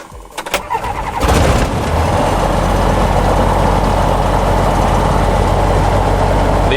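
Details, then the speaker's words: Tecnam P2002 light aircraft single piston engine, cold start with choke selected and throttle at idle; brief cranking, then it catches within a second and settles to a steady, even run around 1,100 rpm, a clean cold start. "we select the choke because the engine is cold we need the full help of it"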